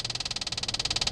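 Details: Rapid, even, high-pitched clicking about twenty per second from behind the dash inside the cabin, no engine noise, reproduced while switching HVAC between hot and cold: blend door actuator ticking, not an engine tick.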